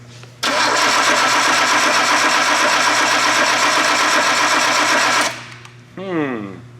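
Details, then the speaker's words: R33 Skyline with swapped RB25 engine, first start-up attempt after building fuel pressure: about five seconds of steady rhythmic cranking with no catch or firing; cranks but won't start, possibly too much fuel or ignition timing off. "interesting how peculiar usually they just start turn the key on that's too much fuel no ignition timing is just not"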